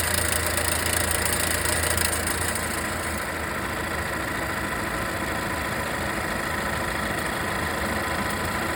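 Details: Volvo V60 B4 mild hybrid petrol engine idling with a loose, uneven metallic rattle that remained after wastegate rod replacement; the turbo was later replaced under warranty and the noise disappeared.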